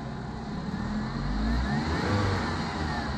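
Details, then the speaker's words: Fiat Palio 1.0 8V after a workshop fixed the radiator fan running constantly, caused by added wiring fed straight from the battery positive: the injection light is off and revs rise and fall smoothly with no hesitation; the car responds immediately. "federação boa acabou o problema do carro carro responde de imediato"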